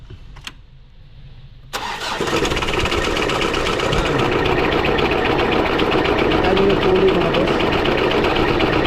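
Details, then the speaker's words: Mitsubishi Adventure 4D56 diesel after timing belt replacement: cranks, catches, loud clattering idle with rough rhythmic beat; crankshaft pulley visibly wobbles and timing marks are about three teeth off, so valve timing incorrect. "So mga tatlong ipin ang sablay. So ibig sabihin hindi tama yung timing."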